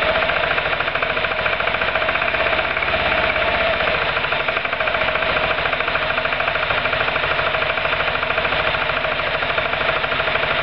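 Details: Roketa MC-54-250B scooter, 1730 miles since July 2008, stalling at every stop. Small single revs and falls back unevenly with a ragged, patchy beat, running rough toward a stall. Cause: intake and exhaust valves had zero gap at TDC; fixed by valve adjustment.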